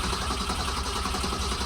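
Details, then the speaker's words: 1964.5 Ford Mustang, two-speed transmission, cold just after start with no choke cable installed: engine runs low and rough with uneven firing and wavering speed, muffler rattling; stumbling from lack of choke. "you don't like it at all weird that's right cuz doesn't have a choke cable installed oh that's crazy sounds like crap"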